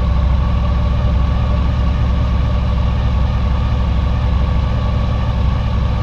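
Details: 2000 Honda VFR 800 fuel-injected, restricted, first start after six months' storage on old fuel: deep idle with uneven stumbling beat; one cylinder dead, its exhaust pipe completely cold, caused by a coil connector that lost contact over winter.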